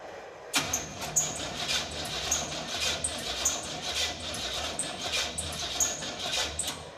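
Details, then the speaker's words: 1950 Ford F6 dump truck with no spark, MSD ignition not firing: slow, labored cranking with a sharp chirping squeak about every half second; one cylinder barely pumping, weak compression. "It's cranking really slow. Let me check compression at every hole."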